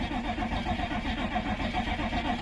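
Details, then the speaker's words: Old crew cab C20 diesel revived in a backyard, cranking on marginal batteries at about 8 volts. Fast cranking with uneven shuddering puffs that never catch. No fuel reaching it; the injection pump may need direct priming. Cranks without starting. "it just doesn't have any fuel to ignite so we might actually have to open up the top of the injection pump and uh direct Prime this thing"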